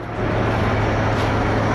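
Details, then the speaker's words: 1974 Dodge Winnie Wagon B300 van, first run fed from a boat tank through the tested fuel pump, with oil previously dumped in the cylinders. Even, deep low rumble, no misses or knocks, while smoking off the oil. Normal idle. "winie wagon is idling making some noise yes sir she is smoking cleaning out all that oil I dumped in the the cylinders"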